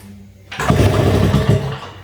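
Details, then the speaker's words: 1951 British Seagull model 102 outboard, first inspection: pulled over by hand after WD-40 down the bore (wet compression test), strong, even low thumps lasting about a second, good compression indicating it will basically run. "now you can hear that it's got the good funk funk funk but we'll see guys should have that's basically telling you that it's got that it will basically run"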